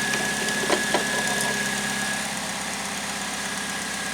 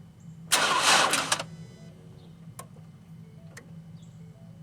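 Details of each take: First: 2008 Pontiac G6 2.4L EcoTec after replacing the variable valve timing solenoid for code P0013, with fresh oil and antifreeze; check engine light off. Steady, even idle with a faint high tone, no rising or falling pitch; healthy. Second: Ford Escape with a suspected weak battery on an extremely cold, iced-over morning. Three short cranking tries, each under a second, and the engine never catches; flat battery, later jump-started with cables.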